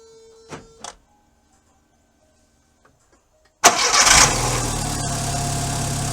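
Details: Healthy start from a starter that had been growling after key-on: starter turns over briefly and cleanly with no growl or grind, engine catches straight into a steady idle.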